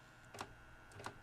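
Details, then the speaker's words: Magnavox MDR865H/F7 DVD/HDD recorder powering on: two soft clunks about two-thirds of a second apart over quiet hum, the DVD drive hunting for a disc; hard drive head seeking not heard, suspected faulty. "So now if I power it back on, you heard the drive spin up."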